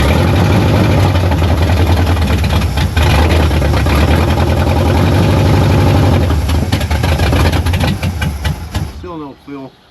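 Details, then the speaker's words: 1973 Dodge Charger 383 big block, long parked, cranking evenly at about 3.5 beats a second but never firing. The fuel pump is not pumping and no fuel leaks out, so it needs a new fuel pump; the engine otherwise sounds fine. "I'm watching the pump. No pumpy yet. >> No pumps yet. No fuel leaking out though."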